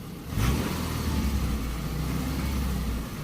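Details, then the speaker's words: 2002 Subaru Forester, about 264,000 miles, after tune-up with new spark plugs: engine revs sharply and cleanly, much quicker than before, then holds a smooth, even drone with no misfire; old plugs were the problem. "Okay, let's start it up. See what she sounds like. Oh wow, it revs up so much quicker than before. It really did not like those spark plugs that were in it."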